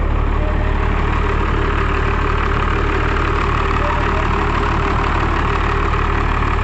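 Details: Cummins 12-valve dually just started after a new fuel filter, oil change and new front brakes: steady, even diesel clatter at idle, about two and a half beats a second, smooth rhythm; healthy idle.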